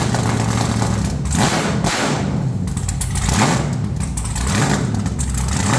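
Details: Truck's first fire-up with headers on and new red valve covers, possibly running some methanol: loud, deep V8 rumble at a fast idle with a few throttle blips, firing even and steady, no knocks or rattles. Normal running engine.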